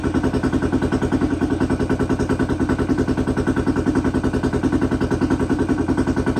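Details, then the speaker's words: 2008 Honda 400EX ATV after a top-end rebuild, following a melted piston from running out of oil; started on choke, bottom-end condition unknown. Single cylinder thumps evenly at about 3.5 beats a second with a loud but steady exhaust and no bottom-end knock; normal running. "that's what L have sounds good though there's no no engine noise really can't really hear anything though over that exhaust"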